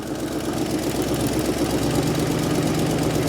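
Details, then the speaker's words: 1980 Ford Mustang V8, first running after sitting 22 years: a lumpy, uneven idle with a loping beat and a missing pulse. It sounds like a dead cylinder, possibly number one or two. Cause not confirmed. "Yeah, it sounds like it's got a dead cylinder and runs like it, [Music] too. Yeah, it's a little lazy."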